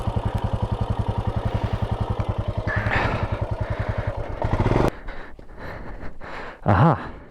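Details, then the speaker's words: Royal Enfield Himalayan restarted after a crash and being picked up. Fast, even slapping about ten times a second over the engine, stopping at shutdown: a loose strap came off and got caught in the drive chain. "this that's not good looks like a strap okay so a strap in the kind of came off and got caught up in this which is not great but i should be able to just unravel it"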